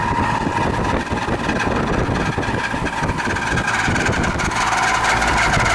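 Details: 20-year-old air conditioning unit, after about twenty minutes of running: loud rough droning with a rattling, uneven hum and a rising whine near the end; failing condenser fan motor needing replacement.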